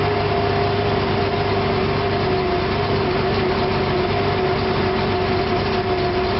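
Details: Engine at idle: steady hum with a slightly lumpy, uneven beat underneath; rough idle, stutters and pops when put in drive and given gas; cause not yet found.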